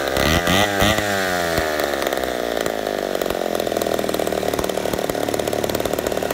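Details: Poulan 71A chainsaw after carb work, replacing stiff old diaphragms, long sat unused: revs up cleanly then holds a crisp, steady high-pitched run without bogging; runs well, owner suspects slight intake leak from crank seals.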